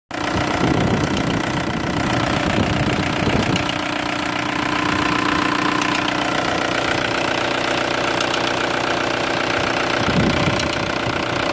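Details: VW ALH TDI diesel at idle after a timing belt job: uneven light ticking over the clatter, caused by cam timing about one tooth off because a bent cam lock plate made it look timed; fixed by retiming with proper tools and a cam gear puller.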